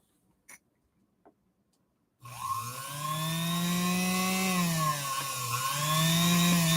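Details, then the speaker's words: Singer Featherweight sewing machine motor after only a high-level service, compared against a previously dead motor: spins up from silence to a smooth, steady hum and clean whine that dips and recovers, slightly less power but starts at higher RPM; normal running. "this one actually has a little bit less power than the one that we just brought back to life this one fires up at even a higher RPM"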